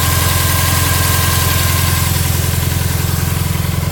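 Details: Bug-eye WRX with 2.5L hybrid engine, 1000cc injectors and catless up/down pipes: high, rough, lumpy idle with uneven exhaust pulses about three a second; cause unknown.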